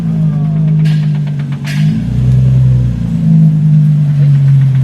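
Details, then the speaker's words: VQ-engined car: low, heavy rumble with a rapping knock as the car rolls in; rod knock, suspected spun rod bearing. "Listen to this nice rod knock you got. Damn, somebody banging a wrench on there?"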